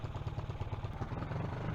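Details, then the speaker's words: CG125 project motorcycle with a pod filter and a newly fitted carb-to-insulator gasket, while the idle is being set: a steady, even low thump with no rattles or misses. It's a healthy idle that is revving much better. "just trying to set the idle a little bit but sounds much better revving much better it's got that deep grunt from the pod filter little engines ticking over nicely"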